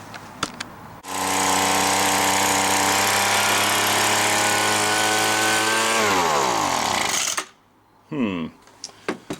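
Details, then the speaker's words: Five-dollar gas two-stroke leaf blower that smoked and wouldn't start, before carburetor adjustment: high buzz holds about five seconds, then sags and stalls with lots of smoke; carburetor mixture adjustment planned as the fix. "it runs for a bit and it shuts off there's a bunch of smoke okay we'll fix that"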